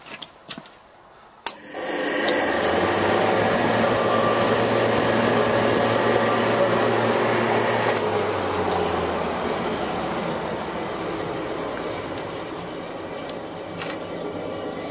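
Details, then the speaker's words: Prestcold refrigeration unit three-phase condenser fan motor: steady hum with a rough rapid even tick; sounds like a bad bearing, suspected not confirmed; new replacement fan ran backwards until phases swapped. "This one sounds noisy, sounds like it's got a bad bearing in there or something."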